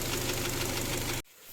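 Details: Kia Sportage G4KD engine running on gas (LPG), 150,000 km, before teardown: hard steady knocking over idle until the engine cuts off; piston knock from scuffed cylinders.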